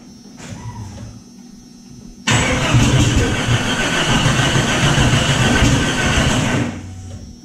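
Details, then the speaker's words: Jeep Cherokee after re-setting the distributor, believed to have been off one tooth: cranking catches into a rough, uneven run with scattered pops, then dies. "we're really hoping we had it off a tooth and that's just going to work now"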